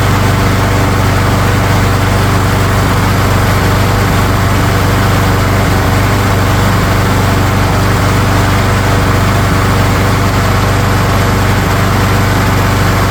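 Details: Craftsman lawn mower that previously would not start, after a spring tune-up with new spark plug and air filter and fresh oil, primed three times. Steady, even single-cylinder chug with no misses, knocks or surging. Normal running.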